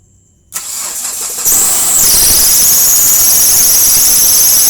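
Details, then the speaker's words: Hyundai Trajet that wouldn't crank, after checking starter relay and ignition starter wiring: short crank then clean start, steady running with loud hissy intake from open air filter; normal crank and start. "akhirnya bunyi ya keren mantap mantap fotonya hehehe suara mesinnya gak berisik jalur ya karena kita dalam Open filter"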